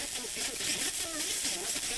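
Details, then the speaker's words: Pioneer SX-1250 receiver FM tuner, station with bad multipath during service tests: heavy hiss over garbled, swishing audio phasing in and out, the phase difference between the reflected and direct signals; FM multipath distortion. "so what that is is that is the multi-path that you're hearing you're hearing the phase difference between the multi-path signal or the reflected signal I should say and the direct signal"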